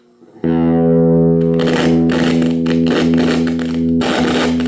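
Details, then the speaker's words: Small flea-market guitar practice amp with dirty volume and tone potentiometers; a held chord breaks into scratchy crackle bursts as the volume knob turns. "when I got it home plugged it in found that the controls are kind of noisy"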